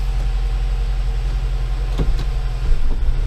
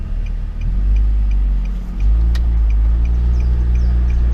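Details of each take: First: Nissan Livina towed in after its automatic transmission stopped driving, gearbox refitted, first start: a steady idle, then sharp thumps as it drops into drive, and it does drive, with a hard driveline clunk on engagement: harsh transmission engagement clunk. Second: Nissan Livina automatic on a road drive after replacing the broken transmission mount: even road rumble while pulling away and cruising, with no thump on takeoff or shifts. The car is smooth, with no more driveline jolt.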